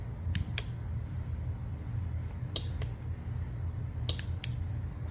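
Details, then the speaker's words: 2001 Nissan R50 Pathfinder 4X4 with newly wired LED light pods: sharp dry relay clicks in pairs, on and off every couple of seconds, over a low engine hum; the relay switches cleanly and works normally. "Yep, and that relay definitely does work. You can hear it clicking here."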